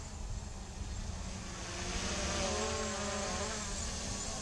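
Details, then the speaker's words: MJX Bugs 3 drone on its first line-of-sight hover, on 2.4 GHz radio. High buzzing motors whose pitch wavers and twitches a few times a second as the gyro and angle mode trim the hover. Normal. "kind of hear it kind of twitching the motors and everything with the gyro and the angle mood but it's it's working it's working very well"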